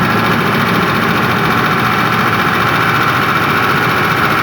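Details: Ford Triton 5.4 3V engine knock, test 3: both solenoid connectors unplugged, recorded from driver's side at raised revs; loose uneven knocking under the roar, no audible change with solenoids disconnected; source unidentified.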